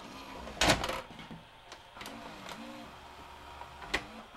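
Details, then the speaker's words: Sharp VC-H972 VHS VCR after a no-parts repair restored mechanism torque. A sharp clunk, then soft motor whirs and clicks as the tape threads; the loading cycle completes normally and is much quieter than before. "And it loaded. And it's playing. The gate! That is perfectly fine."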